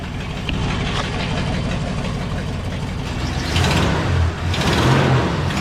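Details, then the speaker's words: 1975 Ford F100 Supercab that sat about a year, pulling forward: the engine flares and surges unevenly while the truck barely moves. The automatic transmission is still slipping; it leaks heavily and its fluid is foamy, a mix of Mercon and Type F. "yeah it's definitely still slipping quite a bit"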